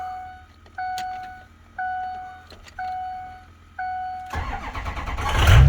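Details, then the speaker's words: 2005 Ford F-250 6.0 diesel after camshaft position sensor replacement for intermittent cranking no-start: chime beeping about once a second, then fires almost immediately into a strong even idle; night-and-day quicker start. "Oh yeah, so much better. That thing starts up way quicker now."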